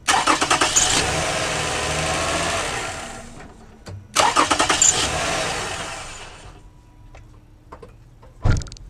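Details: Toyota Sienna, second generation, likely the 3.3 L, with its original starter: short bursts of cranking with pauses, then it catches and runs after the starter is tapped with an extension. Intermittent no-crank; old starter suspected, not confirmed.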